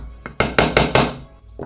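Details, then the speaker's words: Vittorazi Moster Plus paramotor crankcase crankshaft bearing replacement: six sharp hammer taps via old bearing on the outer race, each ringing the same solid note as the bearing bottoms fully in its seat; spins nicely. "bearing is fully in spins nicely this one is done"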